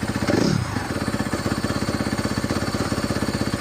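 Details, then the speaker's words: 2017 Honda CRF250R started after storage with a fouled plug, earlier stalling with idle possibly set low: steady single-cylinder idle, about four even firing pulses a second, no misses, knocks or smoke. Normal idle. "Try a bit better there. No smoke. Sounds pretty good."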